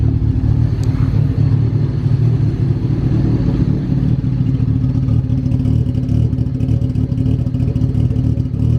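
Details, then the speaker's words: Honda Del Sol with a stock D16 and an eBay turbo kit: a lumpy, stumbling idle with irregular beats that may smooth out a little. The wideband only shows lines, possibly meaning lean. Rough idle, cause unclear. "yeah you can see I don't know if you can tell on camera but the motor is really shaky I don't know if it'll smoothen out at all sounds like it might smoothing out a little bit"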